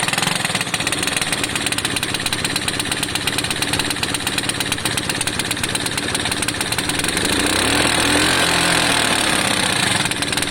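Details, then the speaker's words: Lexmoto FMX 125cc single-cylinder at idle on first kick, busy idle with sharp, even chuffing tick; owner suspects the exhaust is still blowing a bit at a joint and hopes to tighten it up. "Is that the exhaust sounds like it's still blowing a bit, but hopefully I can nip that up."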